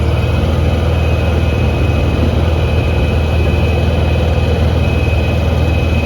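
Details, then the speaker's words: Honda EU6500is inverter generator after replacing a failed GCU (no spark), on a freezing day. It powers a 1500 W heat gun, on low and then high. Deep, steady drone that holds even under load with no hunting or surging: normal running under load. "So what I'm going to go ahead and do is I guess I'll try to find some plugins to make sure that the inverter is working. It's a 1500 watt heat gun."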